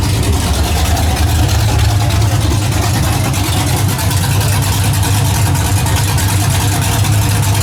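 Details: 1981 Camaro V8 just after a top-end swap, running on open headers with no exhaust, timing and carburetor not yet adjusted: deep, loud, even rumble, steady idle with no knocks, ticks or misses; sounds healthy.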